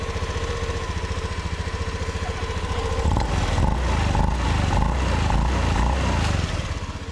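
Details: Honda Beat scooter at low idle: even, steady putter at about four beats a second, a little louder as revs lift, with no rough grinding; idle sounds healthy.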